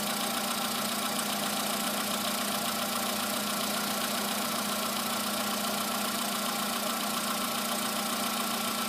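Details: VW Polo sedan, morning cold start; modified ET pistons fitted under 9000 km earlier, oil changed 5000 km ago. Cold idle carries a fast, uneven light knocking, about three or four a second, over the engine hum after the piston job. Cause not confirmed.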